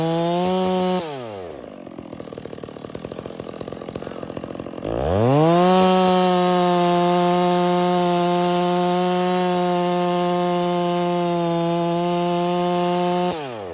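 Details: Stihl MS 660 chainsaw with 32in bar, after cleaning carburetor and air filter to fix failure to hold idle: choppy low idle then snaps to strong steady high rev through a pine cut without bogging; running healthy.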